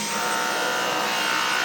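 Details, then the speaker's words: Dyson V10 cordless vacuum floor head making a harsh, steady, shrill rasping grate with almost no low rumble; it hums on carpet and was not like this when demonstrated at purchase. "Bu normalmiş, buna bir şey demiyorum ama başlığı oldukça kötü ses çıkartıyor."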